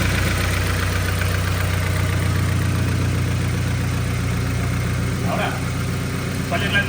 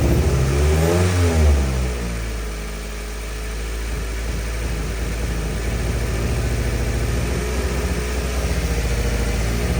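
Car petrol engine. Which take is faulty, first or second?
second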